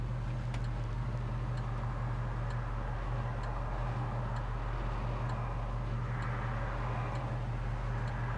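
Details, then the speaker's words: 1967 Chevrolet Chevelle SS with a numbers-matching V8 and a 138 cowl tag: low, even rumble holding a steady beat with no stalling, stumble, sputter or pop; smooth idle. "listen here how nicely it's idling it's not stalling out it's not sputtering"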